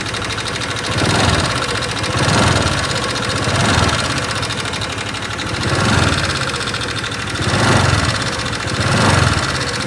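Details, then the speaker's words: 2018 Honda Vario 125 FI scooter at idle, before any disassembly: fast light ticking over the hum with slow surges, rough-sounding engine; loose valve clearance making the tappets tick. "pada suara motor Vario 125 FI ini terdengar suaranya menggelitik ya teman-teman gelitik-gelitik seperti itu"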